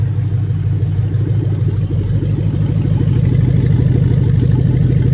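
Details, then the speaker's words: Toyota 1UZ/3UZ-FE VVT-i V8 on a new Link G4-X engine harness, drive-by-wire throttle test: the engine climbs cleanly when the pedal goes down, even and steady with no stumble, a healthy rev. "We're just going to press the accelerator pedal and the engine's going to rev up. That's making sure that the throttle is working."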